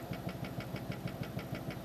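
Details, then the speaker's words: Brand-new computer power supply fan producing a low droning hum with a steady buzzing pulse about six beats a second from vibration; cheap fan suspected of shortening the unit's life, not confirmed. "давно у меня появились претензии к вентиляторам намекая на то что возможно это некий сговор производителей чтобы продукция подобная жила не долговечно и чтобы потребитель как можно больше потреблял вот простой пример абсолютно новый блок питания Но жизнь"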